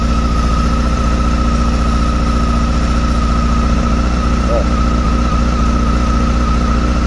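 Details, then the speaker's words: 2007 Honda Hornet 600 four-cylinder during carburetor synchronization: loud low idle near four beats a second with slightly uneven pulse; cylinder 1 dropping on the gauges because a screw pierced the vacuum hose, leaking air; rough idle from vacuum leak. "fui olhar Mangueira fica super dica aí ó vê se dá para pegar aqui no Vazando na mangueira aqui ó pegou aqui nesse parafuso e furou a mangueira aqui"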